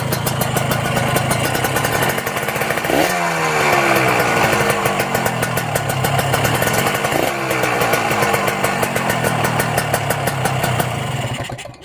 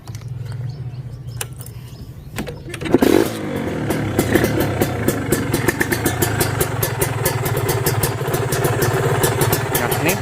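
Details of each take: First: Kawasaki Ninja two-stroke motorcycle checked cold before purchase: dry metallic rattle when the throttle is blipped; a worn connecting rod or its bearing, or the crankshaft, is suspected. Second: Kawasaki Ninja RR/R two-stroke being checked before purchase: catches after a few cranks and settles into a crisp, even popping idle with a solid, steady beat, block still tight, slight hissing; normal idle.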